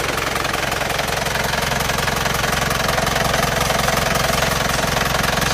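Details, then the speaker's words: Isuzu Panther pickup diesel, cold at 35°C just after morning start: hard even clatter at idle with steady chuffing and smoke from the dipstick tube; compression blow-by past rings, not oil vapor. "Jadi ini sudah kelihatan jelas bahwa ini adalah bocoran kompresi bukan lagi uap oli ya."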